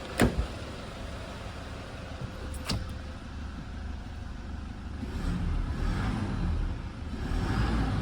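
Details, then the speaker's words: 2010 Toyota Hilux KUN26R 1KD diesel, 291,000 on the odometer, after replacing a whistling broken turbo with a new one: a couple of sharp clicks, then a steady run with smooth rev rises and no turbo whistle; normal running. "yep hopefully the camera my sound can capture that one and yeah that's a different of a new turbo in a broken turbo"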